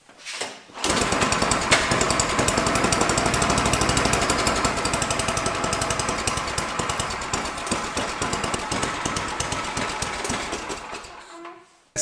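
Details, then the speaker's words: Tecumseh small engine on a free MTD/Troy-Bilt snowblower with no air filter, running at a low rough uneven speed that never picks up; the throttle linkage is stuck and not moving, near the governor. "I think I know what the problem is if you look at this this is the throttle if you can see that's not doing a dang thing there's nothing moving this should be moving like this if I hit that throttle up and down"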